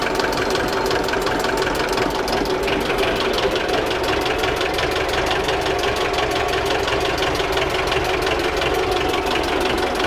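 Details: Old diesel engine in a homemade boat, 57 kg flywheel, started with a decompressor: even, steady clatter at about six beats a second with no misses or knocks; healthy idle.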